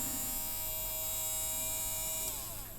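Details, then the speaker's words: Tomy Super Cup electric football game, motor had been stuck with no power reaching it: steady high-pitched buzzing whine, then pitch falls as it winds down; motor freed and spinning normally, left running to loosen; contacts inside likely oxidized. "so as the motor just got probably just got stuck in its one position so I'll leave this running for a bit when I play the uh when I test again and that should free that motor up"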